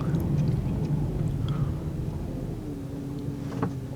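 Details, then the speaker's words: 2008 Chrysler 300 2.7L with 165,000 miles, after misfire repair, post test drive: low, even rumble idling smoothly at 500–600 rpm, no stumble or skip, responsiveness back, check engine light off; normal idle. "Nice smooth idle. Idle in 5-600. Responsiveness is back. Check engine light is off."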